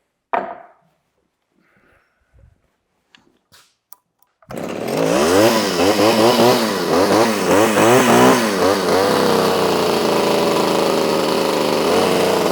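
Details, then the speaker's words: Pioneer P26 chainsaw, vintage two-stroke (1976–81) being restored, loose exhaust just retightened, suspected slightly rich: revs climb and drop in rapid uneven waves, then sag to a wavering idle that won't hold; rough idle, though it otherwise runs well. "She doesn't want to hold an idle, but runs pretty good. I think she's a little on the rich side, but I think we're going to leave it like that because I don't want to blow this thing up playing with it."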